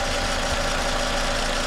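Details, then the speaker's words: 2010 Toyota Camry at idle after replacing the noisy alternator; even steady hum, no ticks, squeals or whine, nice and quiet — normal idle. "all right so here we go no noises everything's nice and quiet I would say that's a win"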